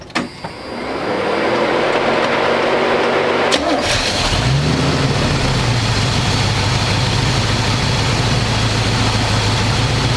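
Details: 1985 square body truck, 454 big block V8, 4-speed, sitting 20 years, fresh oil and filter, after idle screw adjustment: cranks, catches in about four seconds, settles to loud, even open-pipe burble. Normal idle, though owner says it won't idle down.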